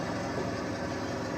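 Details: 2003-2007 Honda Accord with multiple misfire codes, held in Drive on the brake at about 1,500 rpm: uneven stumbling engine note; misfire under load from clogged EGR ports.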